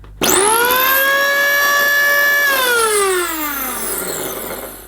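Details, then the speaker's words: Electrolux The Boss Super Lite compact upright vacuum, bought with issues: motor spins up to a high steady whine, then sags as it winds down, with absolutely zero suction at the motor; owner hopes crud around the fan is the cause, unconfirmed. "Absolutely zero suction coming from that motor."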